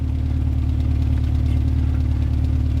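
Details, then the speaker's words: 2002 Subaru WRX idling after fitting an AEM 340 lph high-flow fuel pump in place of the stock pump: a smooth, steady low idle with an even beat and no pump whine or buzz over it; healthy, and the new pump is very quiet. "let's see if this bigger pump has any any more mechanical noise than the stock one yeah it's gonna take a second to prime that is very quiet actually that's nice"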